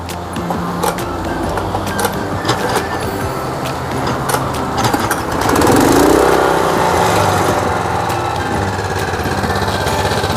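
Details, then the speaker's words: Honda G200 single-cylinder utility engine after valve lapping and valve clearance adjustment: starts cleanly without kickback, settles into an even, quiet idle with no clatter; normal running, since excessive valve clearance would sound loud. "เบาได้ดีนะครับเสียงเงียบนะครับถ้าวาล์วห่างนะครับเสียงมันจะดังนะครับ"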